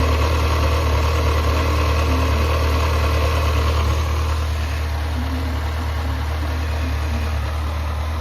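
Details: Yamaha XJR400 (4HM) engine assembly removed from running bike, compression tested, no abnormal noise or white smoke. Steady, even low thrum with smooth regular firing, no knocks or ticks: normal idle.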